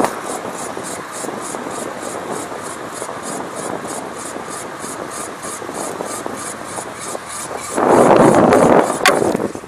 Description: Wheel noise